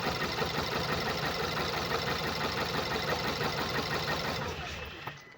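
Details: 2014 Skoda Octavia RS, 1984cc petrol (CHHB, 220 PS), 196,743 km: a lumpy idle with a steady uneven stumble about three times a second, from a cylinder 3 misfire caused by a defective ignition coil and spark plug.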